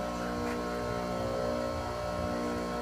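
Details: Enco tool grinder with newly fitted machined diamond wheels on 8 mm countersunk screws, test run: smooth steady hum, no wobble or rubbing, no ripple on water cup; very smooth running.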